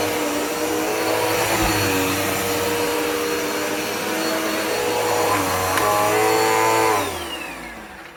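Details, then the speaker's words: Dirt Devil Powermax upright vacuum after clearing a clog: steady even motor whine with clean airflow rush, no choking or pitch drop, then smooth spin-down; running normally. "it was clogged up when i did a test run um i did not realize that it was until i turned it on uh let's see this is what it sounds like now much better"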